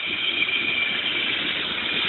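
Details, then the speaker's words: Homemade oil extractor (propane tank with air/water separator, about half a gallon to a gallon of water inside): air fed in at top inlet gives steady hissing, bubbling rush, clean air out, slight backflow; separator working normally. "clean clean air going out and then just to show you there was a little bit of back flow there"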